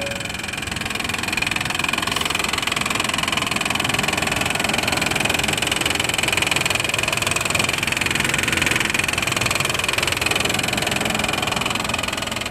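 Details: 1995 Honda Passport (rebadged Isuzu Rodeo) 3.2 V6 idling with a fast, even, sharp ticking clatter that has gone on for a while, heard in a walkaround with hood closed then open; owner suspected an exhaust leak but fears worse.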